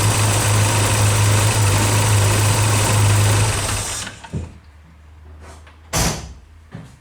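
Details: Early Porsche 944 with a leaky fuel pressure regulator: engine drones then drops away and stumbles in uneven bursts; fuel pressure falls as throttle opens, rough idle, near-stalling, bad hot starts, failed leak-down test; a new regulator cured it.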